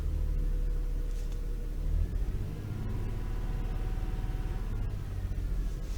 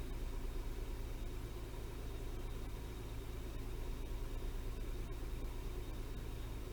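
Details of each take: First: Toyota 3.0L/3.3L V6 shaking badly with steering-wheel vibration and flashing check engine light: low, lumpy rumble with uneven thumps; misfire from faulty VVT-i oil control valve, cleaning failed, fixed by replacing it. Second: Toyota 3.0L/3.3L V6 after replacing the faulty VVT-i oil control valve: smooth, even low idle with steady beat, no stumble or shake, no check engine light.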